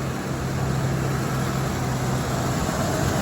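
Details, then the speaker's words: Cadillac Seville Elegante idling after refuelling, before its first drive in a long while; smooth, even low idle rumble with steady hum, no knocks or misses, seems to be running well; normal idle. "seems to be running well"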